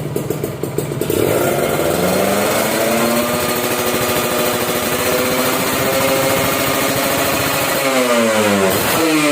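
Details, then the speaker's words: Restored Kawasaki Ninja RR SE two-stroke with new RC3 L-neck 39 expansion exhaust, tuned to pilot jet 27.5, main jet 270, KX reeds: revs rise cleanly and drop back without stumbling or flat spots, unlike the earlier 10,000 rpm ceiling; RPM and tuning good. "cek rpm nya kurang lebih suaranya seperti itu ya RPM udah bagus setelan juga udah bagus"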